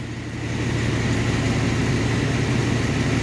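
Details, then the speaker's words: Long-stalled Dodge wagon V8 first run after unseizing, cylinders cleaned of ATF: steady even idle, smooth low rumble, no knocks, ticks, misses or smoke; normal idle. "No way, it's idling, guys. No noises, no smoke."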